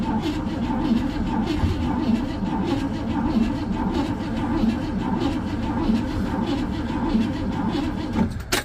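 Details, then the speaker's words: 1957 Pontiac Star Chief, sat for years in central Florida: steady cranking churn with a couple of brief stumbles that almost catch, but it never runs on its own; crank no start, cause not yet checked, spark plugs to be pulled next. "sounded like it wanted to there a couple times but I'm sure I've got to do some checking"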